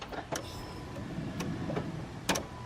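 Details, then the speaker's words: Jeep Cherokee during a fuel pressure test with the fuel pump relay out and jumped, vehicle off: at key-on a faint steady electric whine for a couple of seconds between relay clicks, pump primed and built pressure, a normal prime. "okay it primed built pressure on prime that's a good sign"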